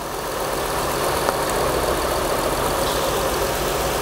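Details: 2004 Acura TL 3.2L replacement engine: rough, uneven idle with a stumbling, irregular beat. One cylinder is misfiring from a bad spark plug; a coil pack was suspected first.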